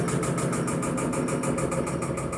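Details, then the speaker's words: Electrolux Perfect Wash 16 kg washer on a normal spin at high level with sneakers inside: rhythmic swishing thumps about five per second, loud noise and the cabinet shaking; feet possibly unlevelled and an out-of-balance drum. "máquina tá fazendo barulho durante essa igação e olha aqui pessoal essa máquina tá fazendo barulho"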